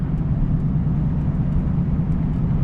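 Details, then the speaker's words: Chevrolet on a road test after axle installation: steady low road drone and hum from the front, front tires chopped by loose front-end components; axle itself sounds good. "the noise you hear here there is in the front end front tires being chopped from loose components"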